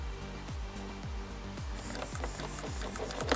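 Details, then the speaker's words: 15 kg servo from an RGT Pioneer, fitted to an RGT 136100 V3 RC4 to test whether the stock 6 kg servo or the BEC had failed: short motor whirs about twice a second, dropping smoothly in pitch, no grinding; servo works fine. "This is the 15 kilo servo that came with the RGT Pioneer. It's working fine."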